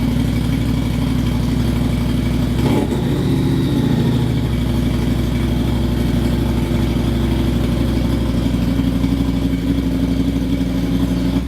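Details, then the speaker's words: Harley-Davidson V-Rod (VRSC) just started after sitting a few weeks, about half a tank of fuel: settles into steady even V-twin lope at idle with clean regular exhaust beat; normal idle. "Oh! Fired right up."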